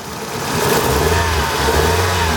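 Engine revs up and holds with a slightly uneven, stumbling beat under the drone, consistent with a misfire on cylinder two.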